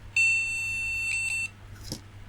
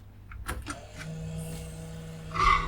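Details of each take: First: Retro ATX PC at boot after swapping and cleaning a graphics card: single steady high POST beep of about 1.25 seconds indicating no graphics card detected, though possibly no monitor; another card to be tried. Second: Retro PC powered on direct mains after light-bulb limiter test: a few clicks at switch-on, then low steady hum as the hard drive spins up; normal spin-up, no beeps, possibly no speaker fitted.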